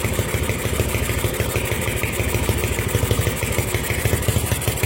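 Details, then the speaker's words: Honda MegaPro single, modified to CB style, after rewiring the charging fault: idles with the battery positive cable removed and stays running, proving the regulator/rectifier supplies 12 V; even, steady low thumping about three beats a second, no misses. "kabel posisinya kita pakai dan motornya tetap hidup berarti kiprok ini sudah melakukan tugasnya"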